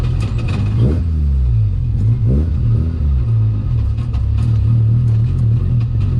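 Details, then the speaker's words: BMW E36 ute with 13B rotary engine swap, driving after oil cooler install: revs rise and fall with a choppy, uneven note low in the rev range and it won't idle properly; cause unknown. Misfire at low rpm. "As you can hear, it's got like a misfire down low, so I've got to sort that out, and it won't really idle properly at the moment, so that's a little bit weird"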